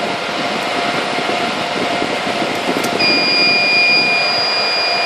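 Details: Supermicro 2U server with two redundant power supplies, one supply's cable pulled, its light no longer green: continuous high-pitched alarm tone over steady fan rush, briefly breaking then resuming; redundant power supply failure alarm.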